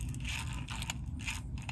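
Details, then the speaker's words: Old fuel level sender from a 1936 Chevy coupe, float arm swept by hand: short scratchy grinding bursts from the worn resistance element, also clicking about halfway; judged defunct and replaced. "so this is what i was talking about with the resistance it's in here the little you can hear it grinding"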